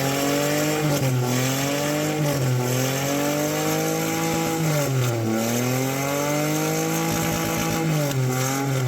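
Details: 2015 Toyota Passo after fixing cylinder 1 misfire and jerking (codes P104, P15) and cleaning catalytic converter: engine pulls cleanly with smooth rising pitch and even gear changes, no stumbling; running healthy.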